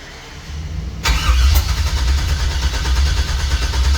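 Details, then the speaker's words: 1964 GMC truck with newly wired Holley fuel injection, fuel pressure unknown: steady starter cranking then a single sharp pop, apparently from the driver-side bank, but it never catches; crank, no start. "it's like the same thing just gives a little pop yeah H and it still sounds like that pop is coming out of the driver side Bank"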